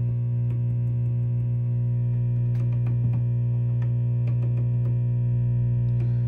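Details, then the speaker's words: 1961 Fender Showman tube amp on bench, nothing plugged into input, tone controls 50%, volume up: loud steady low buzzy hum; suspected power cord issue or open jack/grounding, vibrato channel quiet. "That's just a power cord thing."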